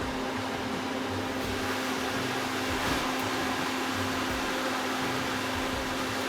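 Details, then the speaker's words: Suburban NT-20SE propane RV furnace in a tiny house, burner shut off at the thermostat with a click and the flame died. Blower keeps running with a steady airy rush and low hum, likely until an internal thermostat stops it. Normal blower run-on. "So I heard it click, and I could see the flame has died down, but the blower motor is going to keep going probably until I imagine that there's a thermostat inside there that once it's blown off enough heat, it'll detect that and then shut it off."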